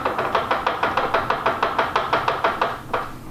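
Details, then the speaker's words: Sharp hollow clunks about three a second as a lifted wheel is rocked by hand: worn inner (transmission-side) CV joint, gap between joint and three bearings; 20-year-old grease; also heard at slow speed. "so the gap between the joint and the bearings can cause that noise"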